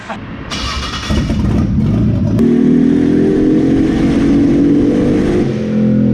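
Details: Datsun 280ZX chasing a misfire, after swapping the wrongly wired ignition coil polarity: engine pulls hard with a rising drone that turns rough and uneven at the top, breaking up under load; high-rpm misfire persists.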